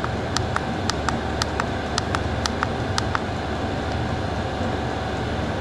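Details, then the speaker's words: Diesel air heater turned down from its 40-degree maximum in a 15-degree room: sharp, evenly spaced fuel pump clicks, about two to three a second, over a soft fan rush; the pump slows at the lower setting; normal. "you can probably hear in the background that the fuel pump is slowed down. So adjusting the temperature up and down increases the speed or decreases the speed of the fuel pump."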